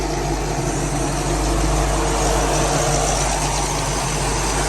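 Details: Car with new fabricated fan shroud fixing overheating, idling near a 180 thermostat, PWM load-sensing fans at only about 25%: smooth even idle, steady low hum under soft fan whoosh, no knocking or squealing; normal idle.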